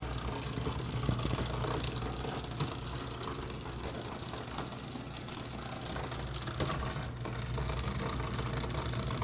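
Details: Kenmore dishwasher, model 13273, bought November 2011 and under a year old, runs with a steady low hum plus uneven ticking and rattling about three per second; abnormal running noise, source unknown.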